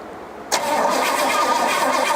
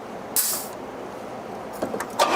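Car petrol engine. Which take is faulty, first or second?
first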